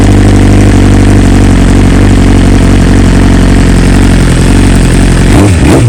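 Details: 2020 BMW S1000RR, warm start after dealer replaced two coils under warranty and updated to newest stock software: smooth even inline-four idle with steady low pulse, then quick blips rising and falling cleanly; normal warm start and idle.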